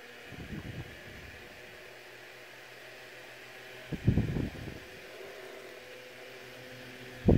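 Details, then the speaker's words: Vintage Dynasty Classics 7-inch two-speed oscillating desk fan, made by Tatung or Kuo-Horng, cleaned: quiet steady motor hum with a few brief handling knocks, runs evenly and very quiet on both speeds with good air movement. "very quiet on both speeds air movement is really good turn it off"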